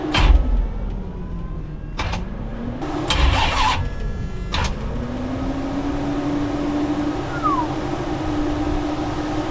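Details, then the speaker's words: '73 Plymouth Duster, Gen III 5.7 Hemi, carb found flooded: the starter drags the engine slowly and unevenly with a sagging, groaning pitch and it never catches. The battery is dead and cannot turn the motor fast enough to start. "Seeing as I can't get the battery to turn the motor over in a way that'll start the car, you're not going to get"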